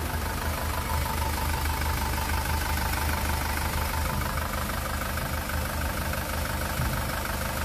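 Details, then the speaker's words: 2018 SsangYong Rexton Sports 2.2 diesel, 119,174 km, idling after engine rebuild (cylinder block holed and No.1 piston melted by broken crankshaft cap bolt; crank, pistons, bearings replaced): smooth, even soft clatter, no tank-rolling knock or shake, healthy engine. "너무 좋은데요 아 이제 탱크 굴러가는 소리가 안나요 소리가 너무 잔잔 합니다"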